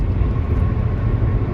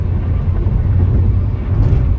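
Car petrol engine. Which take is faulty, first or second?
first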